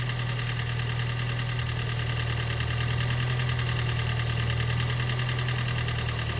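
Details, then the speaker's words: Gen 2 Toyota Prius 1.5L hybrid with codes P3190, P0A0F, P3000, P0A80 and engine no-start; weak, lumpy idle thrum with loose uneven thudding. Compression too low, engine gave very little resistance on compression stroke when turned by hand. "So that's the reason it's not uh starting. And also when I was spinning the engine by hand, it was giving the engine was giving very very little resistance on compression stroke."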